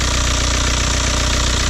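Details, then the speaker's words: Manual VW Jetta TDI turbo diesel at an auction viewing, just started under the hood: rough idle with a sharp repeating knock over the engine beat; viewer suspects motor mounts, possibly rear, not confirmed. "Start it up. Making a weird noise. These motor mounts. Definitely."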